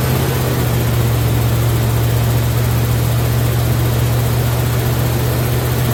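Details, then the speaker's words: Impala engine, first start outdoors before cam break-in: steady, even high-idle drone near 2,270 rpm, no knocks; ignition timing a little off. "Timing's a little off. Uh, let's see. Timing is a little bit off."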